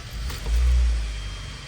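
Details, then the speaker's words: 2013 Hyundai Sonata after repair of wheel-wiggle clicking believed from power steering motor: low smooth engine rumble swells as wheel turns, no clicking or knocking; normal steering, noise fixed. "disappear all right the clicking noise disappeared I say that was it all is gravy"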